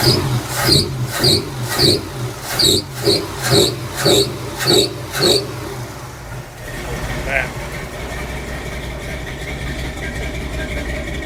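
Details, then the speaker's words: 1966 Chevy C10 V8 with 3-inch exhaust kit and Flowmaster Delta 50 mufflers tacked in place: low steady idle, soft even burble, fairly quiet at rear and front; normal exhaust note. "sounds pretty good actually kind of like it"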